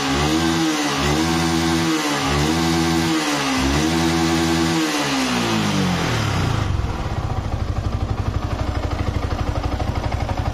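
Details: Yamaha R15 motorcycle after repair of a stuck, obstructed valve that caused low compression and no-start: the starter whirs in pulses, then the engine catches and settles into a steady, even idle, running normally.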